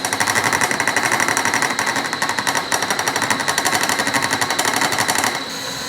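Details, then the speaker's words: Cutting a keyway slot to 0.3865 in depth in unexpectedly hard material. A harsh, rapid, steady hammering rattle that stops when the feed stops; severe end mill chatter. Cause suspected, not confirmed. "definitely a harder material than not hard I am shocked that envel did not just snap right off yet I'm expecting it it's coming does not like that one bit but we'll keep going"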